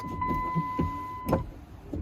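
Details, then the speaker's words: Second-gen Dodge Ram wipers test-run after reinstalling linkage on worn, loose motor spline drive (had returned upright instead of resting): steady motor whine, soft thump each half second as blades reverse; sweeping normally, alignment off by one tooth. "We're just gonna test run it real quick. Heck yeah, it's a beautiful thing."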